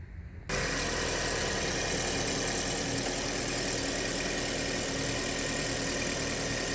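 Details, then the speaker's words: 2012 Chevrolet Sonic idling after a new belt was installed near the alternator and belt tensioner, which were the suspected source of a strange noise; smooth, even idle with light belt hum, no squeal or rattle, noise gone. "trabajando ya para si queríamos escuchar el sonido raro que se escuchaba por este lado parece pero ya no más"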